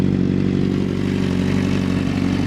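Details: 2006 Honda CBR 600RR: deep, steady engine roar held at raised revs with even firing and no knocks or rattles; the engine pulls cleanly.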